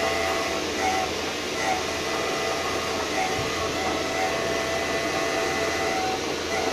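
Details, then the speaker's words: VW Touareg prop shaft half with an almost new center bearing, spun and twisted on a lathe: steady rushing drone with a thin whining tone; worn center bearing found as the source of the car's bad noise. "then we try to spin it up in speed and try to twist it a little bit and see what happens and as you can hear the the sound is coming so I think I have found my my [Music] problem"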